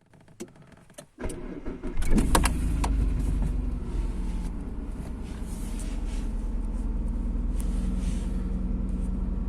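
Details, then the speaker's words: Kia Magentis, engine started and idling with clutch released: low uneven rustling rumble with rubbery rubbing, transmitted into the cabin, nearly silent with clutch pressed; worn transmission mount. "Вот слышите, гоняет она. Вот сейчас сцепление выжму. Тишина. Бросаю. Опять гоняет."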